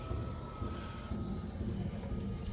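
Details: Cadillac DeVille (Gigapony build) driver window after replacing the motor: smooth, steady motor whine with even pitch dipping slightly as the glass reaches the stop; window runs normally.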